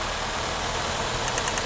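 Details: 2006 Nissan Altima after replacing the bad ignition coil pack that caused a misfire: steady, even idle with no stumble or miss, light crisp ticking near the end; normal idle.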